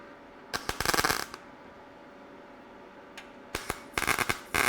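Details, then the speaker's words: Learning to MIG weld the core support on a '97 Pontiac Firebird Formula with a YesWelder MIG-205DS: short uneven bursts of crackling and popping instead of a steady frying hiss; unstable arc, welder unsure whether voltage, wire speed or amperage is off. "I don't know what it is I'm doing that's causing that whether it be voltage or wire speed or amperage or something ain't right that it's some work and some not so much"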